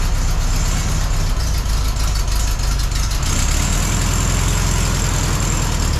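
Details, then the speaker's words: 1972 Volkswagen Beetle air-cooled engine after a no-start at the end of a road trip; valves now adjusted within specification, it idles low, even and steady with a consistent beat, no tapping or stumbling: normal idle. "But now Rosebug sounds really good. Her valves are within specification."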